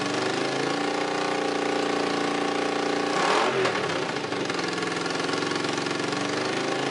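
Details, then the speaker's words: Honda CX500 twin running briefly without coolant or radiator, with an exhaust leak at one head: even idle with a brief rev blip that settles back cleanly, no knocks or rattles. It sounds healthy. "I don't know if you saw seeing sparks fly out of that head, but it seems to be running."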